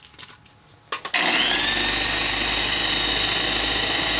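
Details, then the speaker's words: Coil winder motor on foot-pedal speed control with a dimmer switch in line, now at rated speed and full voltage: steady, even high whine with no low hum; the hum at reduced voltage meant the motor was underpowered and laboring. Normal running at rated speed. "now it's at raid speed and R voltage and obviously you don't get that hum that hum will uh that it means that the motor is not getting enough voltage and it's laboring"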